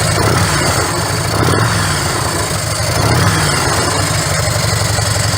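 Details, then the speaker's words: Harley-Davidson Electra Glide V-twin idling after repacking empty mufflers with fiberglass: deep loping, soft mellow exhaust note, steady and even; noticeably different from before, healthy idle. "It's mellow. It's got that distinctive Harley Davidson sound, but it's just like you can listen to that all day. It's not going to drive you nuts."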